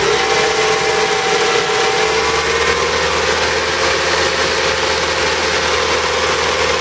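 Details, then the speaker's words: BMW E30 318i warmed up at idle with the air con on and system pressure low: a constant mid-pitched whine over the idle from a noisy A/C compressor; the engine is also tappy, possibly from poor oil. "low noisy noisy compressor too that's what that were noise is"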